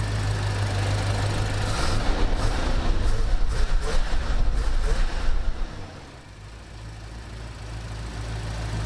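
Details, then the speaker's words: 1974 AMC Javelin, 304 cubic inch V8, 727 transmission, warming up around 145 degrees; deep lumpy burble dropping smoothly to a lower idle and holding steady, no knocks or stumbles; normal idle. "hey he idled down that's what he sounds like normal right there"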